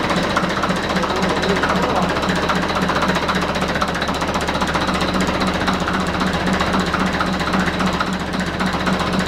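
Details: Deutz F4L514 air-cooled four-cylinder diesel after cylinder and cylinder-head repair: steady, even clatter at constant speed with cooling-fan rush behind it; engine running normally.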